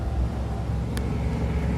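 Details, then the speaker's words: 1972 International 1210 after intake gasket vacuum leak fixed: prolonged uphill pull at held throttle then hit, deep steady low rumble, no stumbling or surging, engine eager; normal under load. "Okay, I'm gonna go up this hill for a prolonged pull. Second pull."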